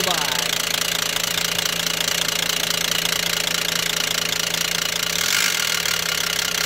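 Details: Stolen-recovered Volvo XC90, first start: loud, fast metallic clatter, about three or four knocks per second, over the idle; heavy knock from inside the engine, cause unknown.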